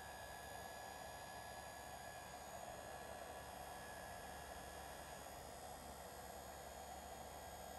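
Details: GE GDF530PGM0WW dishwasher wash pump motor, powered on after lint-like debris was cleared from the pump (it made crazy noises after the customer cleaned it): an even, steady whir with a faint constant hum and no rattles or grinding; the motor spins normally.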